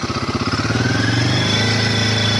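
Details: Royal Enfield Himalayan 450, about 500 km, the reference bike compared against a second bike with tick noise: clean idle picking up smoothly to a steady rev held around 3,000 rpm, even with no knocks or rattles; healthy.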